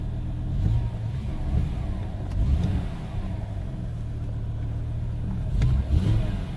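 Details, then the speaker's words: 2005 BMW M5 with the S85 engine, after water causing the misfire was removed: it revs up and settles cleanly with an even, steady note and no stumbles or popping. Runs smoothly with no misfire; a gasket is suspected if the water returns. "the engine is running much much smoother now it doesn't seems to be any misfires now so yeah so I believe that was the cause of it was that water in there"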